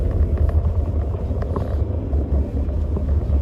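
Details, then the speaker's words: 2012 Toyota RAV4 on road test after front wheel bearing replacement (old bearing was coming apart, thumping): steady low road rumble, no thumping or whining — normal wheel bearing. "yeah it sounds good I think we fix something again"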